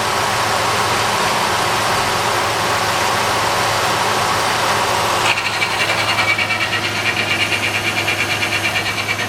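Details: 1997 Ford Ranger 3.0L OHV 2WD automatic: idle takes on a rough pulsing grind with sharper upper edge in Reverse, Drive, D2 and D1; P1744 code recently set, pointing to TCC solenoid; cause suspected, not confirmed.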